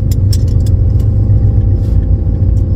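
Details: 1999 Lincoln Town Car 4.6 2-valve turbo, breaking up above 20 psi boost, fuel pump in high mode: deep, uneven idle rumble with a wandering, stumbling beat; rough idle, cause not confirmed.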